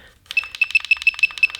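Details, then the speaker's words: DJI Mavic Pro 2 remote controller: fast, evenly spaced high-pitched beeps, about six a second, in a quiet room, the low-battery warning; owner drilled a hole in the controller to quieten this loud beeper. "so whenever I fly a drone and I ran out of battery so I'm gonna have you don't come back to me it's gonna start beeping I can hear it but it's not that loud"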